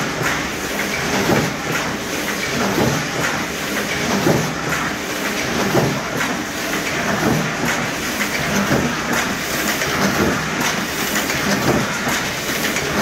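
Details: Heidelberg cylinder diecutter Model S 21x28, switched on: even mechanical clatter about forty times a minute, no knocks or grinding; missing some handles and front cover but runs smooth, gears in great shape.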